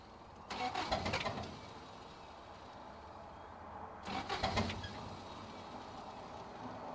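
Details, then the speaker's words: 1985 Toyota pickup rock crawler, sat nearly a year, on cold start with fuel reaching the filter: two brief cranking bursts about three seconds apart without catching; hard cold start, though it eventually fires and runs unhappily. "he trying oh look at that oh she fired up doesn't sound super happy but she's running now"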